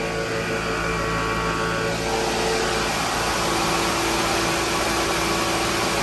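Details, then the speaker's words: MEI hydraulic elevator machine room, pump running with the tank oil below minimum: steady motor hum and pump whine turn rough and hissy, with harsh grinding at the end; the pump is cavitating, sucking in air because of low oil. "That's how you know it's low in oil. Because at the end you could hear that grinding sound. That's because it was sucking in air instead of oil because the oil tank level got too low."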